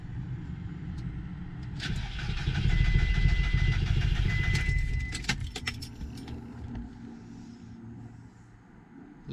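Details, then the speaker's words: VW Golf Mk4 1.4 petrol right after replacing the original, never-changed fuel filter: starter churns steadily for about three seconds but the engine never catches; cranks but won't start. "no bloody good. Car don't want to start."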